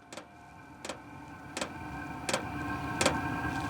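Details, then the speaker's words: ZHIBANG Chinese diesel heater, 27,000 BTU forced dry air, on stand for tent, starting up: sharp fuel pump ticks about every 0.7 seconds over soft steady fan whirr; firing and running normally. "now you can hear the uh fuel pump going she's firing baby let's go this is so sick"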